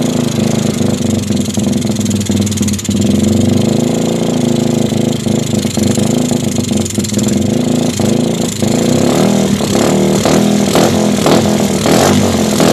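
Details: Suzuki GD110 scrambler that others could not start, after new spark plug and timing set: engine catches, settles into a steady idle and picks up cleanly on each throttle blip; normal running and revving.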